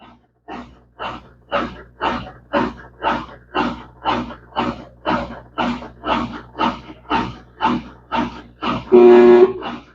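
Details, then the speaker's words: Brastemp BWK 14 washer that won't spin or agitate and soils clothes: labored pulsing groan about twice a second as the motor strains on its first spin attempt, as if stuck, from a seized transmission. "então vocês viu que já deu o primeiro toque e já o barulho Tá com coisa que o motor tá preso pessoal"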